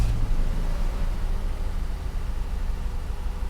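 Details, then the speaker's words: 1969 Mercedes 280SE starting for the first time in 18 years, after repairing and installing the mechanical fuel injection pump, setting timing and fitting an external fuel tank. Deep rumbling note just after catching, running fairly steadily with no knocks or misses; a healthy first start. "does that sound like a good engine did that sound like a good engine yes look at this baby holy moly yep we have us a running 280 SE"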